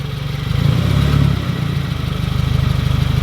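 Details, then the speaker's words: Subaru WRX with a Tomei cat-back straight-pipe exhaust, revved lightly to about 2,500 rpm and heard from underneath: quick metallic knocking that tracks engine speed as the cat-back bangs against the end of the differential, where the control arms meet. "you can see that the cat-back you can see that the cat-back is hitting right there and when it rattles it's actually ban"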